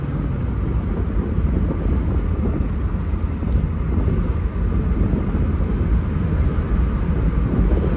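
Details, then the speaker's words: 1986 Opel Ascona convertible, 1.6 engine, three-speed gearbox, accelerating hard: deep, steady roar pulls evenly with no knocks or slips; shifts are very smooth, revs dropping at least 1000 rpm at each change; healthy engine. "as trocas de marcha estão super macias super suaves né"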